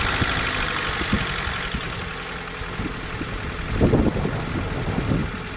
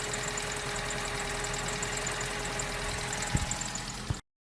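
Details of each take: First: 2004 Vauxhall Corsa C 1.2 petrol, off the road two years, idling before its oil change. Busy light chatter from the top end over a mid-pitched hum; owner judges it noisy at the top end and needing fresh oil. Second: 2004 Vauxhall Corsa C 1.2 petrol, off the road two years, idling after a full service with fresh oil and new filters and plugs. Even, smooth idle with a soft steady hum.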